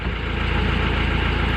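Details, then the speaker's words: Mahindra Scorpio diesel idling with a light, fast chik-chik chirp over the knock that stops when the clutch pedal is pressed and returns when released: worn clutch release bearing, to be cured by replacing the bearing. "दोस्तों यह हमारा गाड़ी का class clutch का release बरन का नॉज दोस्तों release बन चेंज करने के बाद वो नॉज चला जाएगी दोस्तों"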